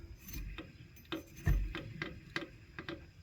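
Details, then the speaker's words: Alternator for 1998 Ford Mustang GT 4.6L 2-valve SOHC, spun by hand during replacement: light slow ticks, two or three a second; source unclear, possibly the brushes. "that was bad yeah this here this noise that's probably just the brushes does this thing have brushes do alternators have brushes"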